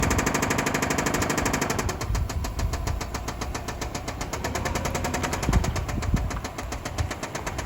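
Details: 2005 Subaru Outback XT on a short drive: a fast, steady metallic rod knock that keeps time with the engine.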